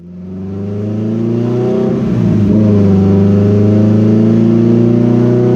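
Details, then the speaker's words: Built EG Civic GSR with SheepyBuilt turbo kit and rebuilt Precision 6266 turbo, on the dyno, at 10 psi (368 wheel hp, 241 torque), running rich: revs climb slowly and the tone rises smoothly, but boost builds late; wastegate leak makes spool lazy. "why is it so lazy to build all right that pull yielded 368 to the tire for power and 241 for torque and that was on 10 psi or boost a feels still rich as hell now this Turbo's lazy we got to figure out what's going on this thing should be spooling before then it's not really ever seeing full Boost"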